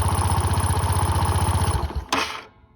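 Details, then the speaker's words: Honda SH150i scooter at about 8,700 miles, engine switched off from idle: the idle thump stops, then a short fading whir as the crank, stator and one-way clutch coast down. A normal spin-down. "When I turn it off, you heard the. That's normal. That's like the crank spinning, the stator spinning, and the one-way clutch."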